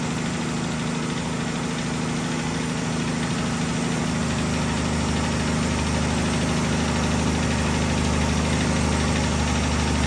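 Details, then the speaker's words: 1965 Chevy Bel Air V8 started after sitting a long time, old gas in the tank, odometer showing about 54,000–58,000 miles: steady idle with a light, quick top-end rattle. Sounds like a rocker arm, unconfirmed; little blowby. "It's got a little rattle to it. I can hear it. Sounds like a rocker arm."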